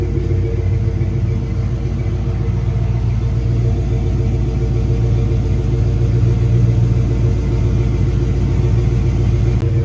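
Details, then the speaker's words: 1996 Ford Bronco with 248,800 miles, first start after sitting all winter: smooth, even low rumble at a steady warm-up idle with no knocks, ticks or misses; running healthy. "Um you know, some vacuum stuff here and there, but runs perfect for a 248,800 uh miles, man."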